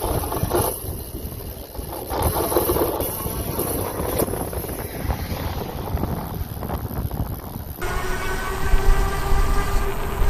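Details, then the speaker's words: Super73-Z1 e-bike after fixing hub motor noise and freewheel issue: smooth electric motor hum with steady whine under low rumble, no clunking or squealing, normal healthy hub motor. "that's how it should sound i knew it wasn't in my head that it was a hub motor so oh that's so awesome"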